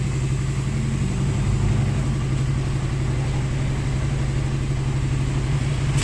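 Deep, steady engine drone with an even low beat and no popping or misfire; the bike seems to be running properly.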